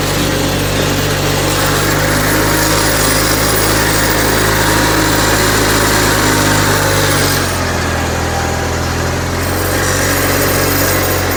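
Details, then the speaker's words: Onan CCKA twin in a Gravely 450 rider: steady, even drone at fast idle, slight pitch drop near the end as load changes; runs smoothly, though governor sluggish, throttle cable suspected. "Onan sounds good."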